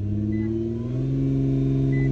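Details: Nissan GT-R R35 with code P1220 (fuel pump module) and a blown fuel pump fuse, pump wired directly to the battery: engine finally catches and settles into a steady even low hum with no misfire or stumble; normal running.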